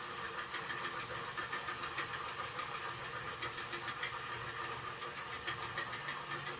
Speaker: I got a little noise here. Okay. Zombie fingers are working okay now, it seems. I don't know what that noise is, though.